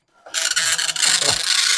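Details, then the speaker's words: Commodore 1525 dot matrix printer for Vic-20/C64, never tested before, tractor-feed paper, running self-test mode with noise cover on: fast raspy buzzing bursts as the head sweeps across each line; normal printing. "these things are loud this was the thing that was supposed to protect us from the noise and indeed it does do a little bit"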